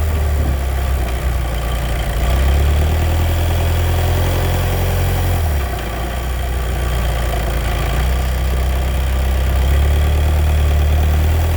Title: DSG DQ250 clutch noise problem